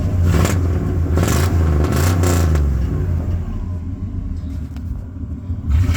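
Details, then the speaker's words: V8 truck with new headers and Thrush glass packs: short rev blips bring a hollow clapping exhaust rattle around 2,500 rpm. The owner suspects a blown or clogged catalytic converter and plans high-flow cats and an x-pipe. "But with both the high flow cats in it and the xpipe, it should get rid of this clappy noise at around like 2,500 RPM."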